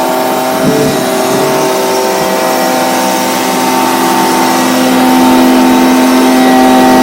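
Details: Stihl BG55 blower, a no-start with a torn carb diaphragm, now on a new replacement carburetor (part C1Q-S68G) after adjustment: a steady high-pitched two-stroke scream holds clean at full throttle with no stumbling or surging, running healthy and strong.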